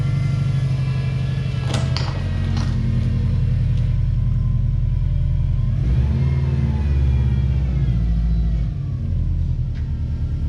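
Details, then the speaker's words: Project car with an aftermarket exhaust of unknown brand: a deep, subdued exhaust rumble at idle swells smoothly on a couple of blips. It is running normally and the exhaust is quiet. "it already has an aftermarket exhaust I'm not sure what brand but it sounds pretty good it's definitely very quiet but not the end of the world"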